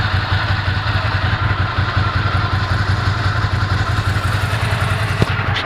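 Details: 1998 Ducati ST2, 10,596 miles, about 73 dB at tick over after new clutch, fuel pump, HT leads, Brisk plugs: steady lumpy V-twin idle with even low beat, no odd noises; healthy idle.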